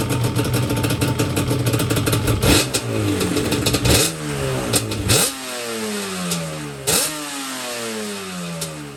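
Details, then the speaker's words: Yamaha Banshee two-stroke quad after carb clean, rebuild and sync, not in gear: after turning each idle screw down, air screws 1 turn out, crisp blips snap up and return smoothly to idle with no bogging, running healthy. "So I turn each idle screw down. Yeah, now She sounds a lot better."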